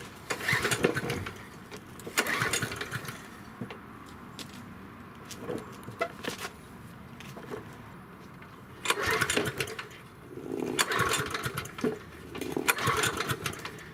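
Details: Yard Machine 6 HP 21-inch lawn mower, left sitting in a backyard for over a year, won't start: repeated short pull-cord bursts, a second or so each, with quiet gaps between, and the engine never catches. No-start cranking.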